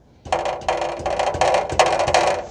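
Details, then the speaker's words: 2010 Toyota Corolla 1.8, on jack stands, with an owner complaint of rattle at idle and pulling away; tapping the exhaust near the secondary catalytic converter sets off a tinny metallic clatter. Rear middle heat shield is loose and hanging. "And you can hear that there's a heat shield that's loose. It's the one in the back there in the middle."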